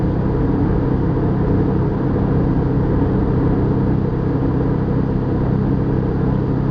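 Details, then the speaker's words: Airbus A320 cabin at cruise, Madrid–Barcelona: steady deep droning rumble with constant low throb; abnormal vibration from one engine resonating in the cabin, cockpit parameters normal, cause unknown. "ah incomodidad que la vibración que estamos teniendo les pueda causar en principio es una vibración que produce resonancia dentro el avión pero en la cabina de vuelo todos los parámetros son normales"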